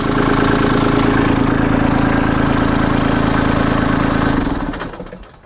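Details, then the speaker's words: Kubota B2650 diesel tractor at idle, 50-hour start system safety check: PTO clutch engaged, operator stands up, and the engine should shut off in about 1 second; steady idle cuts out abruptly and winds down, interlock shutdown working. "engage the PTO clutch lever it is turning um stand up and the engine should shut off in approximately 1 second"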